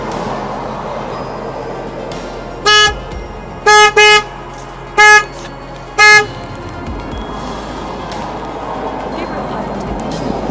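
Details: 2003 Saturn Vue 2.2 with codes P1599 and U2107, security light flashing, sometimes won't start: five horn honks about a second apart with nobody at the wheel; alarm activating by itself.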